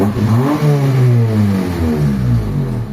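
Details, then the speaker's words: Honda Civic after fixing idle stuck at 1,200 rpm; AC off, idle about 800 rpm, revs cleanly and drops straight back to smooth idle; normal rev and idle return. "Hindi na siya nagdi-dribble yung minor nya. So hindi na siya nag-i-stuck doon sa 1,200 RPM."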